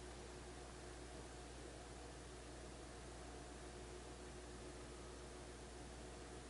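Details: 18-month-old Kenmore Elite French door refrigerator running loudly: steady, even hum with low drone and airy hiss, no knocks; cause unclear.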